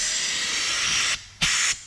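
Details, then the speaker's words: LS-powered 240SX wastegate with air pressure from a regulator fed to the bottom port: a loud steady hiss of escaping air through a diaphragm holed by an over-inserted dome pressure sensor; a wastegate diaphragm air leak, fixed by replacing the wastegate. "but look how much air is coming out see that so to fix that problem we basically ordered another wastegate"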